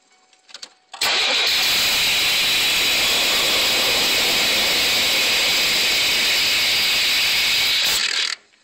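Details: 1990 Chevy Astro after throttle body redo and new injectors; engine catches and runs steadily for about seven seconds, then cuts out abruptly; engine stalls after starting, cause unknown.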